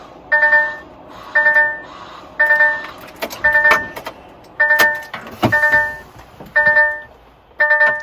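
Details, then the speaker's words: DAF CF85 Euro 6 truck, engine off, with a stuck-in-reverse transmission fault while the display shows neutral: steady beeping about once a second, each beep a bright tone with a falling edge, from the gearbox fault warning buzzer. "Still thinks it's in, you can hear the buzzer going. The engine's not running."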